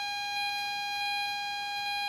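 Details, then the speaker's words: LM386N 0.5 W audio amplifier at maximum 200x gain, 9 V supply, loudspeaker output. A constant high whistle near 800 Hz with shrill overtones. Parasitic oscillation is confirmed on the oscilloscope. "and you'll hear that annoying sound on the background it's nine volts now here here is my oscilloscope that's connected to the loudspeaker and you can surely see that there are oscillations in that circuit"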